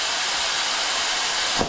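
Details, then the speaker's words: Older DCI 6310 foot pedal on dental delivery unit, doctor reported handpiece losing power when cutting: steady sharp air hiss while pedal is held, then cuts off; pedal leaking air, to be replaced. "And that pressure isn't is there's a leak in there."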